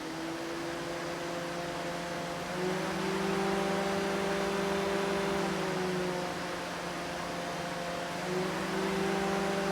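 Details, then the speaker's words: Junkyard Dodge Intrepid electric radiator fan on an LS swap, two-speed relay setup, fan 1 alone switched on through the scanner: a steady, mid-pitched whir with an airy rush and no scraping or wobble; it moves plenty of air. Normal cooling fan operation. "this is one fan. These Intrepid fans do move quite a bit of air."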